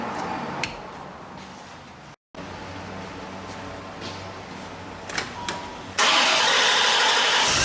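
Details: 1989 Chevrolet Corvette C4 that would not start when hot, after replacing the bad fuel injectors: after a quiet stretch the engine catches at about six seconds and settles into an even, steady run with no stumble, a clean normal start.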